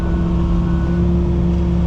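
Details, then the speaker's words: Diesel tracked machine being test-run at an auction while tracking after digging: steady, even low drone with a constant hum and no knocks. It sounds good with no engine codes; normal running. "looks like we're tracking around pretty good yeah everything sounds good there all right"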